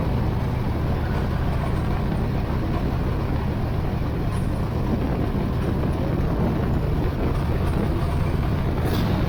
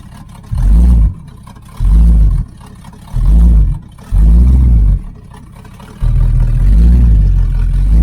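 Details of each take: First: 1980 Z28 V8 just started on a new knock-off Holley 4-barrel carburetor, no brakes, carb not leaking: deep, steady rumble holding a fast, even idle with no dip or hunt. The idle speed is set too high. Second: 1980 Camaro Z28 V8 on a new knock-off Holley four-barrel carb, after opening the choke flap so the idle screw could lower the idle; timing not yet adjusted. Four crisp rev blips and a held rev pick up cleanly without stumbling.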